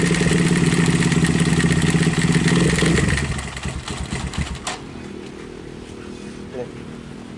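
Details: Viar motorcycle (150 cc per title) that sat unused about five months: revving brings a fast loose clatter from the top of the engine that fades as revs drop; the cam chain had gone slack, letting the valves contact the piston.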